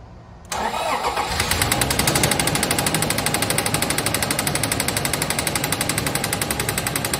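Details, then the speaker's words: Toyota 1GR-FE 4.0 V6 from a 2007 4Runner, 186,000 miles, possibly flood-damaged auction vehicle: starts and runs with loud hard metallic knocking throughout, far beyond a tick; severe engine knock, internal damage cause unknown. "Okay, so maybe slight isn't the appropriate word, and tick is for sure not the appropriate word, but this engine is absolutely bad."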